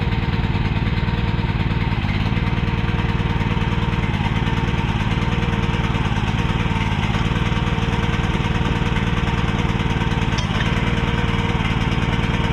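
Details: Repaired mini excavator's small single-cylinder pull-start engine: fast, steady, slightly uneven thumping with the choke left on; running rich.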